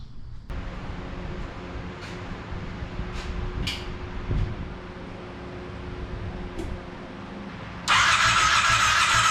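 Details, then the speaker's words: Monster golf cart build, first start attempt with temporary gas tank: even cranking churn that never fires; no fuel in line at fuel pump hose, pump bench tested, fuel pump bad and replaced. "so it turns out it's not getting fuel I pulled the fuel hose off of the fuel pump there's no fuel in the line so it looks like the fuel pump is bad"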